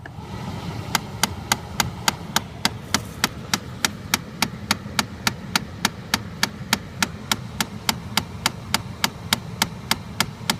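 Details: 2013 Chrysler 200: sharp, evenly spaced clicks about 3.5 per second behind the glovebox near the cabin air filter; happens constantly, even after sitting parked; cause unclear.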